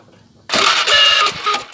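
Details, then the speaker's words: Older Honda Beat scooter: harsh, high squealing screech over cranking thumps from the starter motor; suspected worn bushings, or loose magnets or failed glue. "Nah, seperti itu. Ada bunyi ngek gitu. Ada bunyi ngek gitu."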